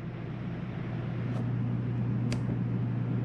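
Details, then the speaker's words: Rooftop air conditioner on a Jayco Eagle 30.5CKTS RV, set to cool on high: steady low compressor hum under an even fan rush, no rattles or squeals; normal air conditioner operation. "now here we can turn on our ac mode return to cool on high can you hear that running"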